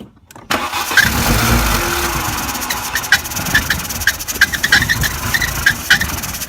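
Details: VW Passat restarted on starting spray: it catches after cranking, then runs rough and uneven with irregular ticks and dips and never settles; a hard start that won't keep running.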